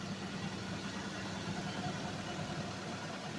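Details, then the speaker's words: Suzuki Vitara that sat 13 years, fuel fed from a bucket: soft, steady idle with no obvious knock or miss after firing, with a little smoke and rotten-gas smell; engine runs evenly after long storage. "And we get a little smoke. Smells like rotten gas. Yeah. So basically guys, yes, it does run. And will it run? Absolutely."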